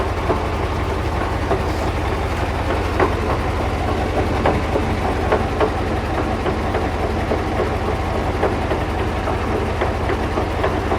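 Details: KamAZ crane truck, engine running steadily with sharp, unevenly spaced knocks, roughly three a second, from the crane's reduction gearbox; gearbox knock, crankshaft just collected after inspection.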